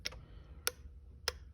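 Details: 2007 Mercedes-Benz S550 V8 with a crank-no-start and intermittent starting. A pressure test showed no fuel at the rail. Three sharp clicks about 0.6 s apart as the fuel pump relay cycles erratically; a relay tester shows green, then red. Faulty relay, to be replaced.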